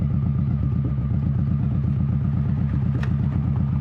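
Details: 21-year-old Honda Shadow V-twin with new Vance & Hines exhaust, baffle repacked with new fiberglass, at steady cruise: deep, even thump about three pulses a second, mellow, not raspy, deeper tone; normal running.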